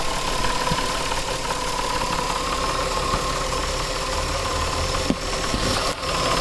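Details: 2000 Nissan Maxima, 203,000 miles, warm idle: rough grinding knock with loose, uneven thumps; cause unconfirmed, owner suspects timing chain or a bad pulley, alternator new and AC compressor seemingly fine.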